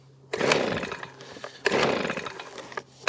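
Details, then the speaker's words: 2020 Titan two-stroke leaf blower (TTL684BVC), with throttle and choke on. Three pull-cord rips about 1.5 seconds apart, never firing once. Owner suspects no spark, a stated common fault: no start. "that choking me kit that's not even doing anything that feels to me like more of a no spark issue"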